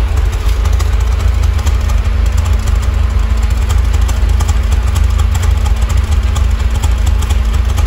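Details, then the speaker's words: Chery Tiggo on natural gas (GNV) after throttle-body cleaning with WD-40 for an idle problem: a deep, steady idle hum at even speed with a faint constant tone over it; much smoother and no longer stalls. "tá bom espero que vocês tenham conseguindo ouvir aí ó motor do carro tá muito mais certinho"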